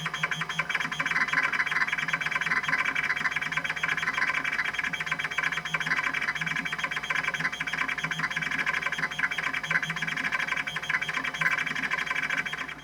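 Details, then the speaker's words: Epson Apex Plus's original 20 MB Kyocera KC-20B MFM hard drive, fixed after a decade of not working properly, running SpinRite 2 v2.0 after no bad sectors were found: steady whir under fast, busy head-seek chatter throughout; normal drive seeking. "Now that's what I'm talking about. Man, this drive sounds so cool. I never get tired of that sound."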